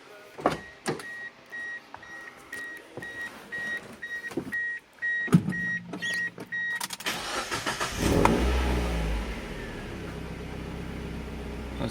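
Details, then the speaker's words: Mazda MX-5 Miata after swapping the stock muffler for a lighter straight-through aftermarket exhaust and removing the heat plate: clicks and chimes, then it starts and settles into a steady, even idle with a mellow exhaust; quieter with the muffler, sounds decent. "Well, it's definitely quieter with a muffler on. Sounds pretty decent."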